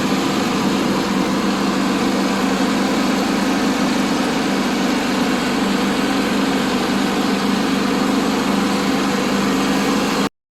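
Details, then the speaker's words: Broken-down ride-on mower that was bought cheap, started on 3/4 choke with PTO disconnected: loud, steady single-cylinder drone with no stumbling or surging. It has new idlers and a new fuel filter, and the engine runs normally. "I cut the grass with it already. It's running really good. I haven't cranked it up yet today."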